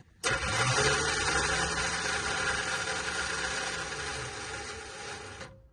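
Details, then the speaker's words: Cheap Chevy squarebody truck started from a jump pack: the starter isn't engaging, and its high whir keeps spinning about five seconds after the key is off, then winds down. Some kind of short is suspected. "Yeah, okay, so the key is off whenever you hear it continue to run."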